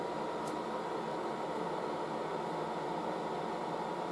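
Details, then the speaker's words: Late-1960s GE HD-8C bonnet hairdryer running on high heat, hose getting very hot; soft, steady airy rush with a faint even hum, no rattle or scrape, a gentle breeze; normal running. "it's nice it's not a harsh it's not harsh blowing it's just a nice gentle breeze"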